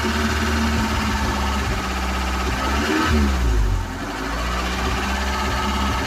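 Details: Ford Cortina after tinkering: uneven, lumpy idle with a wandering beat and a brief rev blip before settling; still not firing smoothly, cause not pinned down.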